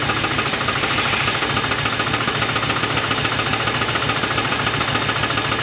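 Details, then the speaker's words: 1980 Dodge truck with a 360 V8 and four-barrel Thermoquad, sitting about 18 years, first start on fresh gas: sharp metallic knocking at three to four per second, regular over a smoking idle, a known rod knock. "her family has success she's smoking and knocking that's perfect good job"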